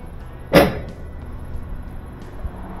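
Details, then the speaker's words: GE washer, after a broken belt damaged the motor speed sensor and a modified cheaper sensor was fitted, shifts into spin with one sharp clunk then a quiet hum as low spin begins; spin now works normally. "shift hard here we go it's spinning so it starts on low spin and we'll continue right on up the high"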